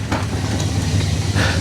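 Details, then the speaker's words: 1959 Dodge Coronet V8, cold start after brake repair: deep, steady rumble with an even beat and no misses or knocks; starts right up and runs smoothly. "so let's uh let's give her a cold start fire it up and then we'll take her out on the road and see how these brakes work man she starts right up she starts right up"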